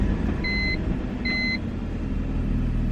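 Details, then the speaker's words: BMW 318i E46 Touring after a pressure test for a suspected leak: steady, even idle with no stumble or misfire and no water or steam from the exhaust; normal idle, running much smoother than before. "that's pretty smooth wasn't hopping on one and no Mass amounts of water coming out steam coming out the exhaust so I'd say it's all right that's an idling now it's a lot smoother"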